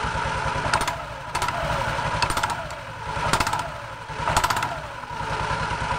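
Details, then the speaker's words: Automatic scooter with CVT cover open, clattering on initial throttle from the rear pulley area: bursts roughly once a second with each blip over idle. "disaat tarik gas awal bunyinya persis suaranya di sekitar sini ya teman-teman Ya di bagian puli belakang persis di area tempat gandanya ya"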